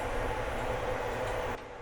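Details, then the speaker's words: Indoor HVAC blower motor, first run after being reconnected; the evaporator coil had frozen. Steady rushing roar with a rough droning hum under it, then it drops away. Rough rumble that needs adjustment and oiling after the cage was removed. "We've got our fan motor working again and we'll have AC blowing out shortly."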